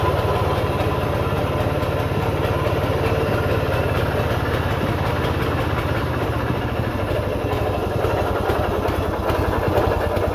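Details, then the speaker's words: 1940s Simar two-wheel tractor (rotary tiller), small single-cylinder petrol engine after restoration: starts easily, runs smooth with a steady even chuffing beat, no knocks or misfires; normal running, though main bearings may be slightly noisy. "Everything seems to work just fine. Starts very easy, engine runs very smooth, lots of power, I think. Runs good."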